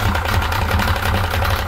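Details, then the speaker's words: 1995 Yamaha 50hp (62F-80) two-stroke carbureted 3-cylinder autolube outboard: idle pulses unevenly with a lumpy, stumbling low beat. Idle timing is slightly off its mark; the cause of the rough idle is not yet pinned down. "Käy vähän kummallisesti, niin kuin varmaan kuuluu."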